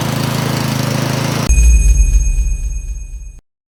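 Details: Troy-Bilt snowblower single-cylinder engine after carburetor cleaning for no-start from old gas: puttering steadily at even beat, runs cleanly, then shuts down with a few thumps.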